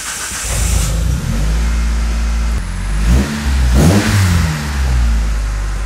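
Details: Fresh fuel filter fitted on a 2004 Mitsubishi CH Lancer (old filter's age unknown); after priming the pump, engine catches, settles and takes a couple of smooth throttle blips without stumbling; fuel delivery fine, runs healthy.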